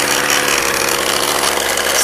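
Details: McCulloch chainsaw idling with a raspy, buzzy note that wavers erratically because the mixture is a bit too lean; richening the idle a little made it run better.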